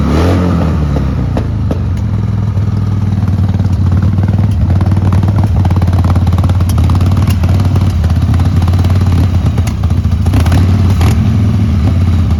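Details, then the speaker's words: 1995 Harley-Davidson Sportster 1200 XL, 24,460–26,000 miles, jump-started with no battery: loud V-twin idle with an uneven, stumbling beat and occasional thumps, sputtering; lumpy idle, judged to need a carb clean and service. "It's a bit lumpy. Needs a carb clean and bit of a service."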